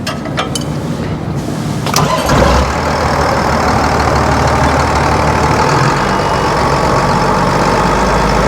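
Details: John Deere 7810 diesel tractor after running out of diesel, filter change and bleeding: a few clicks, fires straight away, settles into smooth steady idle with no hunting; normal start and idle.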